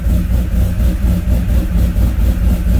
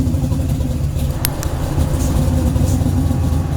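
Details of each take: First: C10 with 5.3 V8, sloppy stage 2 cam, free LSA supercharger (about 5 psi), stock 03 Silverado PCM, being tuned: deep steady idle with a mild even lope after toning down from too-aggressive 18 setting. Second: C10 with supercharged 5.3 (LSA blower, about 5 psi), stage 2 cam, stock 2003 Silverado PCM, before tuning, air ride cycling: a choppy V8 idle that sags and recovers, chasing itself up and down. Hunting idle from a bad tune.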